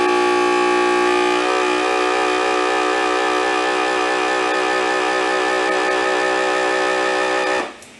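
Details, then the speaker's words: DIY jar vacuum sealer evacuating a jar of freeze-dried blueberries: a steady motor hum whose pitch drops and settles as it sucks down hard, then holds even. This is a normal pull-down and the jar ends up fully sealed. "This is gonna run for a minute because it's gotta get all the air out of this thing. So you can hear the motor on the vacuum sealer will change sounds."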